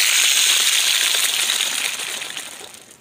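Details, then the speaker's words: BMW E46 with M54 engine. Fast, high chattering rattle at about three to four per second, fading away, from worn belt tensioner and idler pulley bearings (AC belt tensioner and idler) before replacement. "I'm Chris this's my E46 BMW and I'm going to be changing my idler and tension pulley and stuff on this car"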